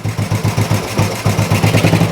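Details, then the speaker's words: Old Royal Enfield 350 single after long storage and carb work, not yet fully warmed up: slow, even idle thump with evenly spaced beats, no misses or knocks; engine sounds really sweet, normal healthy idle. "unbelievable engine sounds really really sweet yeah obviously we'll get it up to temperature properly when we have a ride on it"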